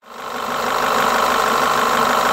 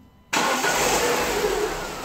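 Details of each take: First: Diesel-like clatter from a Renault Laguna petrol engine (Renault 16/24-valve unit), loudest at the timing end: a worn camshaft dephaser (variable valve timing) pulley. The symptom first appears with heavily heated engine oil. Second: Renault 16/24-valve petrol engine, very hot, 15,000 km after timing set change with new original Aisin camshaft dephaser pulley: even idle with only normal light injector ticking, no rattle, healthy dephaser.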